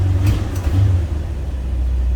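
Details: 1975 GMC motorhome, 455 ci V8 with an older choke, freed by tapping the accelerator; the front air compressor is audible. Short throttle blips over a deep rumble, then the engine settles to a lower, steady idle. Fast idle drops normally once the choke releases.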